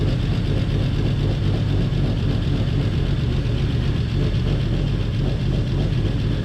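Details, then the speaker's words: 1949 Chevy Fleetline six-cylinder, revived after sitting about 50 years, after freeing stuck lifters and bent pushrods, carburetor still leaky awaiting rebuild: low, steady idle with an even beat and no ticking or knocking; running smoothly, much improved. "I would say that is pretty good compared to what it was two weeks ago"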